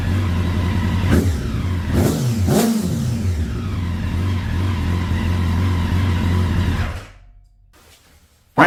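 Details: 2009 Honda CBR1000RR Fireblade, bought sight unseen, after long storage outside in an auction lot, battery not fully charged: catches and runs unevenly with throttle blips and a lumpy beat, then dies; rough running, cause unconfirmed.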